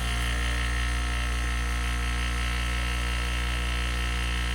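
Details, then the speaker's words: Solar-powered pump drawing from a rainwater tote to feed drip irrigation: steady low electric buzz and hum with an uneven rattle on top. The noise source is still undetermined and the owner wonders about too much pressure or too little power. "Well, at least still don't really know where that where that sound is coming from. So, it's another problem for another day."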